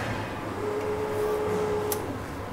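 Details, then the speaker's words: Range Rover Classic V8, about 30 years old, first start after 7 years, ignition on: steady mid-pitched hum for about 1.5 seconds then stops; fuel pump priming normally. "fuel pump noises is that it filling up with petrum I think so"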